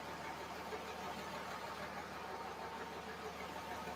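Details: 5.9 Cummins diesel in a truck, run after tightening transmission lines, no antifreeze yet: quiet, steady idle with an even low rumble, no knocks or misses; engine fires and settles smoothly, normal idle.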